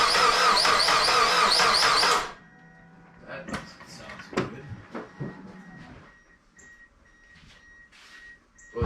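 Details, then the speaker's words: Mazda Miata after timing belt replacement: about two seconds of quick, even cranking with no firing; no-start, cam timing suspected to be off. "we even have to go two cents again right now unless it's not in time then obviously it won't start"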